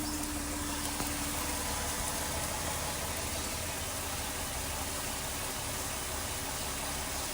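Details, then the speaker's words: 2019 Dodge Durango, just started cold, idling: soft steady hum with no rattle, maybe a slight tick; the owner's rattle only appears after 10 to 15 minutes of driving. "I mean, so far the sound to me seems pretty normal. Nothing too crazy. Maybe a slight little tick, but nothing too crazy."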